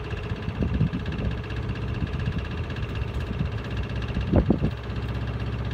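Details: Miele Honeycomb Care W418 5 kg washer, overloaded with bricks, final spin set to 1600 rpm: whirring spin with irregular heavy thumps bunching near end; owner suspects broken drum spider, drum wobbles and is noisy above about 900 rpm.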